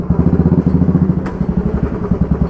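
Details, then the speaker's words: Motorcycle rear wheel: rapid dull clunks about ten per second, heard when the clutch is pulled and the brake is suddenly applied; worn coupling (cush drive) rubbers let the sprocket grooves hit the alloy wheel cuts. "तो जो आवाज़ आ रही है, Sprocket के groove alloy wheel के जो cut होते हैं उसमें जाके टच हो रहे हैं।"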